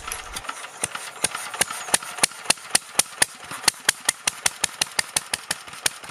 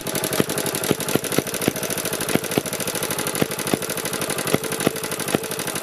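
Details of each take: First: BSA 300 watt ex-military generator (Chore Horse copy) after valve regrind and points cleaning, magneto coil secondary open circuit giving weak spark: sharp, even firing about three per second, no misses; small engine running steadily. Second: BSA 300 watt ex-military generator (Chore Horse) with open-circuit magneto coil secondary, after drying the plug and choke: uneven, sputtering firing with irregular sharp pops; ran about 30 seconds more, then coil failed completely, no spark; coil to be rewound.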